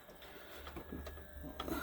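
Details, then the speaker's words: JVC 5-disc CD changer, long unused, very dirty, at power-on: faint whirring and scattered clicks but the drawer won't open; part of the spindle is suspected stuck on the carousel, jammed. "Let's power it on. We have power and the drawer does not want to open."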